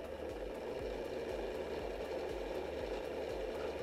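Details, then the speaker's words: DeLonghi PrimaDonna Elite Experience after repair, hot chocolate function with chocolate powder added, small-cup density setting: small motor hum with a soft, regular churning pulse about three per second; stirrer turns evenly, no grinding, working normally. "Well, it should be a liquid but I'm impressed Listen, it works"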